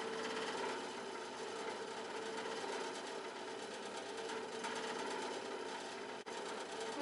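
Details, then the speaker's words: Montgomery Ward fan-forced radiant heater salvaged from a dump, running: quiet chattering rattle over a soft fan whir; old fan rattles, bearings have play and are possibly dry, cause unconfirmed. "They don't always have to be locked up when the bearings are dry. rattly old fan."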